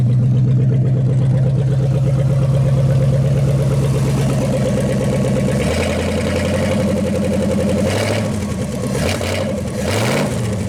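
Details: 1956 Studebaker Golden Hawk V8 at its first start in 50 years, steady idle that rises cleanly on throttle blips and settles back; carburetor and mechanical fuel pump working well, with only fine tuning left.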